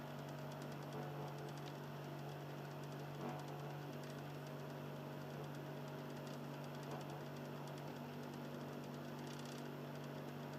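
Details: Philips Lite-On DVD drive motor in an Xbox 360 Slim on standby: steady low hum with a soft, uneven grinding tick throughout, lower in tone than before; drive motor grinding, cause unknown.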